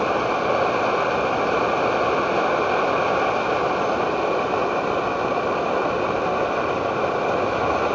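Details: Edward Hexon backpacking stove on white gas (Coleman fuel), fed by a syringe with a hand resting on the plunger in place of its pump: steady, even roaring hiss that never sputters or pulses; running strong at full output.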